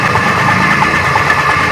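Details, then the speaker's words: Very old donkey water pump motor with badly worn piston, before adding oil: runs fast and rough with clattery metallic knock each turn; worn crankshaft and piston knock. "यह बहुत पुरानी pump है और इसका piston काफी कटा हुआ है लेकिन फिर भी इस ऑयल को देने के बाद इसकी पहले वाली आवाज में बहुत ज्यादा फर्क आ चुका है"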